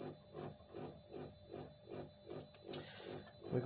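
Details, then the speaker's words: Toyota Celica ST205 GT4 water injection pump driven by ECU H-bridge: regular buzzing pulse about twice a second, same loaded or unloaded, so pump loading isn't the cause; ECU issue suspected, not confirmed. "the water injection pump makes this noise now we thought that maybe was the way that the pump is loading something like that"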